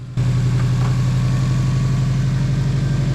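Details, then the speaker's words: 2006 Subaru WRX, 92,000 miles, after plug work: short crank, quick catch, steady even low idle with no knocks or misses; starts and runs normally. "Hell yeah. She still runs."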